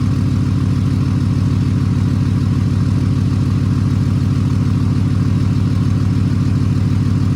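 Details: 6.7 Cummins diesel after VGT actuator replacement with a pre-calibrated actuator and 24V update, recorded from behind the truck: deep, steady idle with an even, smooth beat and no misses, knocks or whistles; sounds healthy.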